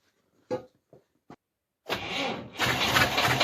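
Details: UAZ at −19°C after a months-long standstill, started with crank-handle turning, oil mixing and oil-pan heating. A few slow, labored starter strokes with gaps, then it catches and roars rough: a hard cold start from too-low cranking speed.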